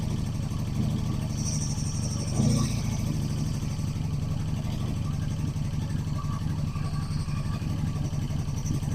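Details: 1985 Honda Magna V30 V4 motorcycle, first start after carb rebuild, JB-welded tank, new fuel lines and radiator, ignition bypassed: uneven lumpy idle with heavy mechanical chatter; rough running with severe valve chatter, cause unknown.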